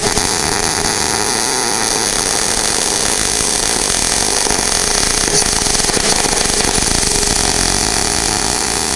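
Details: Inverter MIG welder, wire feed speed fixed, voltage dialed down from just over 20 V to 15.2 V: steady crackling hiss of the arc whose sizzle shifts with the setting; MIG arc sound changing with voltage.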